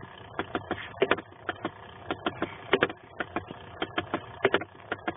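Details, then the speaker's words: 1991 Chevy Silverado 1500 5.7 L (350) V8, replaced blower motor now making rapid, uneven clicking and popping with ignition on, from the dash blower/vent area; owner suspects a vent, cause unknown. "I pulled it out as you can see and this piece here is making a clicking sound when the ignition is"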